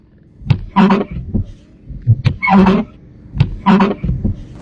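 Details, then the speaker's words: Car wipers make harsh, juddering squawks with each sweep, about once a second, with thumps at the ends. "This car's wipers make a very harsh noise."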